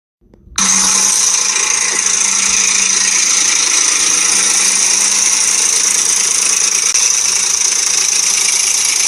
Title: What a Ford Timing Chain Rattle/ Tapping Noise Sounds like- Explorer, 4.0 V6, loose tensioner, guide